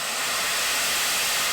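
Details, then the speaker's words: 1910 Stanley Steamer Model 60 at shut-down, blown down through four taps off the bottom of the boiler, one also clearing the water-level reflex gauge. Steady, loud rushing hiss of steam with no sputter: a normal boiler blowdown. "this car has four taps off the bottom of the boiler that blow it down from four basically four quadrants"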